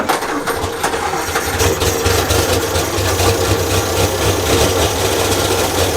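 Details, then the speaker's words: 1932 Morris Minor four-cylinder sidevalve, run again after the points were checked, no coolant, minimal exhaust, ignition advanced, choke partly in: a low steady idle with a slightly loose exhaust note; some smoke, reasonably healthy. "try putting the choke in a bit oops that's not too bad considering there's not much exhaust on it"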